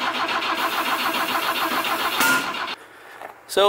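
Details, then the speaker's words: BMW E21 that has not yet run, cranking during a start attempt, microphone near the exhaust, brown residue blowing out: even chug of about five beats a second that never catches; cranks but no start. "but it sounded like it wanted to fire up but uh it just wasn't doing"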